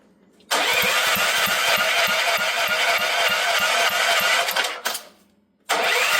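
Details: Auction generator bought with a fully seized motor and water filling the fuel tank: rapid uneven chugging on the electric starter for several seconds, a pause, then more cranking; it turns over but never catches. Cranking, no start.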